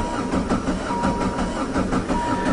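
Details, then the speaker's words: High-kilometre diesel caravan started with cold start lever down after 10–15 s of glow plugs. A long, slow rhythmic starter chug without firing; the corroded, leaking injector pump lets fuel bleed back to the tank, leaving air after sitting. It started better in winter. "it's just sucking that fuel that's ran away started better than that in the winter time"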